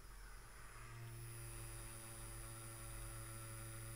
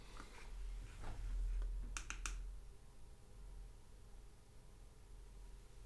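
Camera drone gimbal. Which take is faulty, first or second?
first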